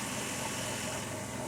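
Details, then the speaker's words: 2002 Dodge minivan idling with A/C compressor engaged (kicked in twice): busy, rough rattle over steady hum, attributed by owner to low compressor oil; recorded before injecting oil with dye into the refrigerant. "Had to kick in twice. Hear that rattle? Yeah. That's the lack of oil."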